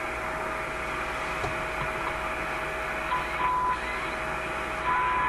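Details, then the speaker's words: RCA A25 vacuum tube shortwave radio during RF alignment of shortwave bands: steady clear test tone over soft static hiss, then stepping higher near the end; receiver picking up the test signal properly. "That's it there. That tone you hear."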